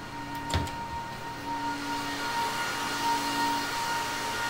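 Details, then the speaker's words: HP ProLiant server (possibly GL360 G7) in a rack: steady high whine and lower drone over rushing fan air, louder since yesterday; amber light flashing, panel reports fan number five failing; fan to be replaced. "so the problem i can show you real quick is one of the fans is going bad so the amber light is flashing and if you open up this panel it says that uh fan number five is going bad"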